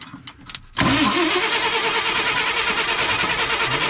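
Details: Ford F-100 that sat about 10 years, fresh gas added, spark confirmed, cranked by a jumper wire on the starter; rapid, uneven cranking chatter with sputtering exhaust pops that never catches. Cranks but won't start; carburetor rebuild kit planned.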